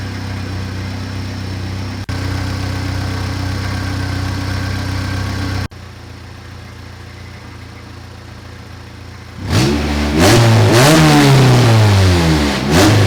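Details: First start of a B18C Type R engine swapped into a 1988 CRX Si, exhaust not hooked up, which exaggerates the sound: loud revs with a rough, uneven stutter. It is a misfire that set code 16 (injector).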